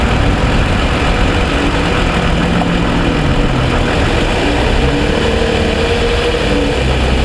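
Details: 2007 Toyota Sienna with cold-start ticking (owner suspects piston slap), after about 45 minutes of driving, fully warm: even steady idle hum, no ticking or knocking; normal warm idle.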